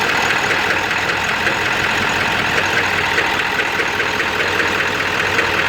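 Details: Ford 7.3 diesel on high idle with a rough, loud, uneven ragged clatter, puffing blue smoke smelling of raw diesel, low power; EGTs good, cause unknown, owner stumped.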